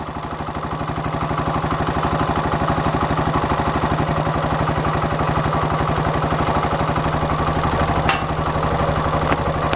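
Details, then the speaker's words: 1972 Honda SL125 single at warm idle, muffler holed at the bottom: fast light tapping about four per second from valves set at four to five thou instead of the two specified; valve tick, valves need readjusting. "and the valves got to get readjusted you hear them kind of tappy it's supposed to be 2 th I think I set them at four or five"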